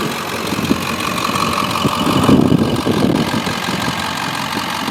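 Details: 2002 Ford F250 with 7.3 L Powerstroke diesel, four-speed automatic, Banks exhaust, factory idle unmodified: low diesel idle clatter, fairly even apart from a brief swell; sound, healthy idle.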